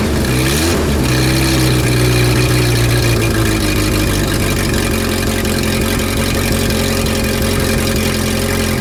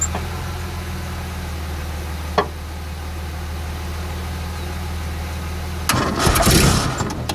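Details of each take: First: Renault R10 after 20+ years sitting: engine catches, blips up, then settles into an even steady run with firm low beat, no knocks or misses; no exhaust smoke. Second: Renault R10 sitting over 20 years, day three of start attempts: slow laboured cranking around four beats a second over a low hum, never catches; owner thinks not enough power to spin the engine, possibly poor battery terminals, air leaks at manifold gaskets.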